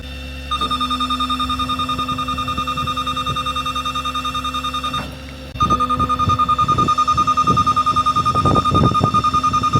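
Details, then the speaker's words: 2019 Ford F-550 bucket truck, 91,000 miles, Altec AT41M boom, engine running, park brake set, PTO switch on: steady high whine with even pulsing about three or four a second as the PTO pump engages and runs normally. "In a minute you hear the PTO pump turn on. There we go. Now we're live."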